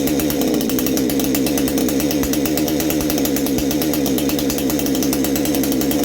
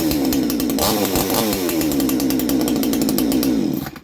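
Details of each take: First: Baumr-AG 62cc Chinese chainsaw, new exhaust fitted, clutch bearing greased, carb screw at factory 1.5 turns; loud steady high-pitched two-stroke buzz at high revs with rasping edge, note changing; possibly slightly lean, owner plans richer adjustment. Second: Chinese Baumr-AG 62cc two-stroke chainsaw with a new exhaust, clutch bearing greased and shoes cleaned. The carburetor was set at 1.5, then adjusted slightly richer. It screams at a strong, steady high rev with a slightly shifting note before cutting off: crisp, healthy running after carb tuning.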